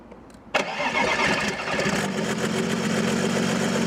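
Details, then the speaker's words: Audi A6 C5 2.5 TDI V6 (AKE), long-stored non-starter after two injection pump replacements: diesel catches at once into a loud, raw, rattly idle through open pipe; completely clogged catalytic converter had choked it, injection timing also off. "the catalyst was completely clogged or the exhaust gas muffler was nowhere from below it was gone."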